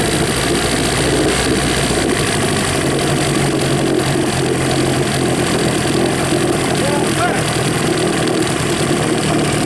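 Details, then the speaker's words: Rebuilt 1963/64 Evinrude 40hp two-stroke outboard, first start after rebuild, out of gear, choke just taken off: steady, somewhat burbly idle with uneven beat, peeing water; fuel mixed rich, maybe too rich. "Yeah, she's peeing water, good. Get a picture of that. Yeah, the water, I mixed her rich. Maybe a little too rich."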